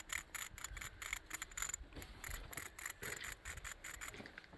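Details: 1994 Ford Thunderbird 4.6 two-valve V8 with under 130,000 miles, pulley bearing spun by hand: a dry, gritty scraping rasp in quick bursts. The bearing is shot, and the belt left a mark on the timing chain cover.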